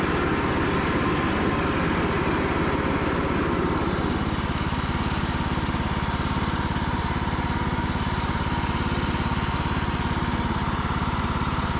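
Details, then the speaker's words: Cub Cadet riding mower, after sitting 3+ years, on a final test run following a charging system repair. Steady single-cylinder thrum at constant speed with no surging, knocking or misfire; healthy running. "Well, by the time the next owner gets this, should be rated at about 200 hours, and they will have a good running, driving, cutting mower, and give this thing a new life."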